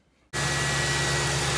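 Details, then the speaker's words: Ford Crown Victoria after oil change to cure a ticking noise (few metal flakes in old oil): steady, even idle with smooth low hum, tick gone. "Alrighty, y'all. I'd say that's pretty good. I didn't hear it ticking at all at the end."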